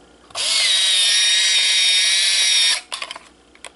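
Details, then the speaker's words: Kodak KC30 35mm camera: high, even motor whir for about two seconds then stop, the motor spinning free once the film is fully rewound, signalling the film can be removed. "la van a abrir pero solamente hasta cuando ya se escucha que va está zumbando así en banda que se escucha que que solamente gira el motor"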